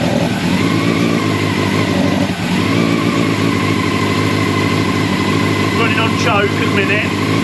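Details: Old Honda CBR600 track bike four-cylinder, first start after sitting long, on choke, not yet up to temperature: steady idle then clean pickup on throttle blips, slightly boggy; running again.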